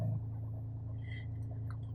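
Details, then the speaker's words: Manual car at cold start, rpm needle just above 1000, near 1100: steady low idle with a soft, even grumble and slightly raised vibration, no knocks or ticks; normal cold fast idle that drops once operating temperature is reached. "কিন্তু আমি বুঝতে পারছি সামান্য একটু vibration বেড়ে গেছে এবং ইঞ্জিনি একটু সামান্য গড়গড় গড়গড় করে আওয়াজ করছে"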